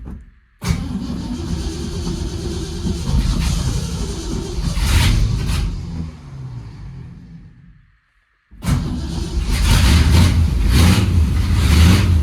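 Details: 1971 Ford F100 with 302 V8 and 3-speed column shift, cold start after winter storage since December: catches into a lumpy idle with a sharp puffing tick right after the headers, still needs tuning; exhaust leak.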